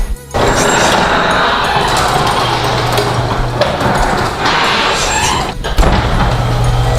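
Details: Garage door opening after WD-40 applied to hinges, rollers not yet greased: steady motor drone, door rolling up evenly with no squeal or creak.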